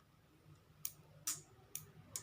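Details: Motorcycle turn-signal flasher relay after repair, solder added to the contact tongue: crisp sharp ticks roughly every half second in a quiet room, cycling at a normal even rate.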